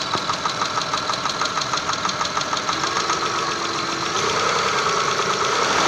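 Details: 6A13 engine, slightly warmed, recorded in the car: steady, fairly quick tapping knock over the idle, rising slightly as revs climb; knocks when warm, source not pinned down.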